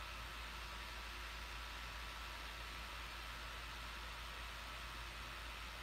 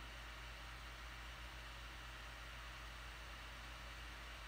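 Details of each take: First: Laptop running with steady, loud airy fan whoosh, no rise or fall, then quieter handling noises; owner suspects the fan clogged with dirt from long use without cleaning, to be opened and cleaned. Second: Laptop cooling fan after opening it up and cleaning it, running under load: soft, even airy hiss with a low steady hum, no rattle or whine; quiet, normal fan noise, much reduced after cleaning.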